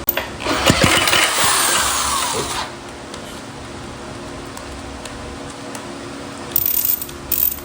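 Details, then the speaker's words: 1937 Maytag Model 92 single-cylinder two-stroke engine, first start after revival: a couple of seconds of rapid popping on the prime, then it quits dead; owner suspects it is not picking up fuel. "Wow. Well, it popped right off on our uh on our prime. I don't think it was feeding fuel that yet, but we probably got to keep uh pulling on it. But it runs."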